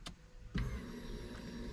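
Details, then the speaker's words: A click, then a soft, steady electric hum with no whine or rattle as the replacement in-tank fuel pump primes in an SR20DET-swapped BMW E30, quieter than the previous pump; normal fuel pump priming before first start. "you can almost barely hear this one right so next i'm going to prime it a couple times pressurize the lines and then we're going to fire it up"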